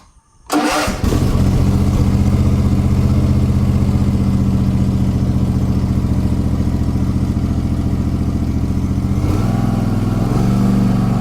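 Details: Gravely ZTR mower after its throttle/choke problem was fixed by separating the choke cable onto a home-made lever by the seat: fires within a second, settles into a steady, even idle, then the speed shifts cleanly; normal start and idle.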